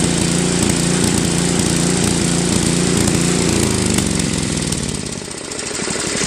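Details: Tecumseh Snow King 5.5 hp 195cc engine on a Craftsman 24-inch Trac-Drive snowblower, carb gummed after a year's storage and cleaned but still surging; runs fairly steady then sags and recovers, idle hunting until the idle screw is adjusted at high and low throttle, which fixed it.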